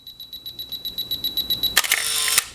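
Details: Canon T50 35mm film camera from 1983 with a 10-second self-timer and self-winding: steady self-timer beeps speeding up, then a sharp shutter snap and a short motor whir winding on; camera works properly.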